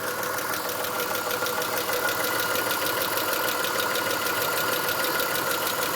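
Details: Chrysler Stratus/Cirrus 2.5L after timing belt kit, Champion spark plugs (1mm gap), intake and EGR gaskets, P/S belt not fitted; right camshaft slipped 1/4 turn during belt install: busy idle with fast tick ~3/s; ticking, rough idle, cause unconfirmed.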